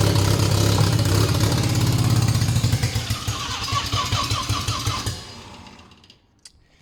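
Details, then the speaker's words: Barn-find Mazda RX7 12A rotary, sat for years, choke zip-tied open: buzzes, catches briefly, stumbles with uneven pops and dies within five seconds; runs only on starting fluid despite fuel in the carb, owner suspects the carburetor. "so yeah I don't know what the uh what the deal is um because it should run because there's fuel in the Carby but it's uh it's not like um it only runs when I'm spraying the starting bastard in there"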